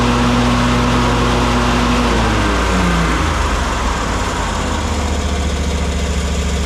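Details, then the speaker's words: Kawasaki FS541V on an Exmark Vantage S stand-on mower, previously popping and weak with blades engaged; after repair the engine drops from a higher whine to a steady, even run with no popping or missing beats: runs beautifully. "[Music] Runs just beautifully. Heat up here."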